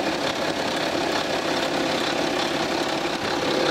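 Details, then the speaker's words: 2011 BMW F25 X3 30d, 3.0 N57 diesel, 168,749 km, idling, mic held near engine front: steady idle with dry rhythmic rattle, louder toward the rear of the engine; stretched timing chain slapping its guide. "자 이렇게 들어보면 에 뒤쪽으로 갈수록 엔젤 소비 되게 커지고 요 5 주기적인 소음이 나요 철학 철학 철학 4 사라 파면서 아 특히 이쪽 허니 갈수록 소리가 더 많이 나구요 아 현재 이 촬영에 경우에는 제가 생각하기에는 소비 타임이 체인이 늘어진 걸로 판단이 들어요 타이밍 체인 소음이 라고 생각이 들고요"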